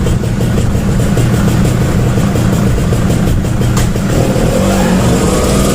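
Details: Small two-stroke Suzuki after carburetor repair for hard starting; loud, steady drone pulling evenly under throttle without hesitation or popping; running normally.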